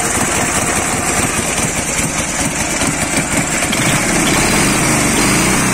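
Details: Dnepr 10-36 motorcycle engine after replacing worn connecting-rod bearing shells and rod (knock cause): steady chug at an even pace, no knocking under the exhaust beat; bottom end sounds normal again.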